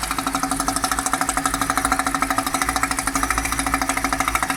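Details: BMW 545i E60 N62 V8 at idle with oil cap open: fast, even ticking over a steady idle hum; abnormal valvetrain-area noise, cause not pinned down.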